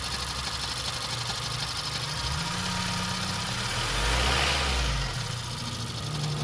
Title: 2015 cr-v weird grinding sound